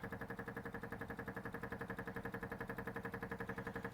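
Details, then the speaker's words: MGB GT on stands, suspected petrol leak: fuel pump ticking steadily about twice a second and running continuously without shutting off; cause of continuous running not confirmed. "we've got the club on stand so we can see under there a bit better and you can hear the fuel pump going like mad"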